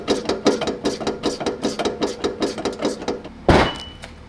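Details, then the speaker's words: BMW M4 with JRZ RS Pro 3 coilovers, heard from outside the car: hollow thumps about every 0.4 seconds as the body moves; clunk from a blown coilover shock absorber. "you might be wondering what does that sound well I had a blown shock on my coilovers since I've had these coilovers and it sounds really bad from outside the car"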